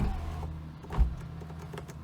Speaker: and the sunroof opens all the way and picks up as it's supposed to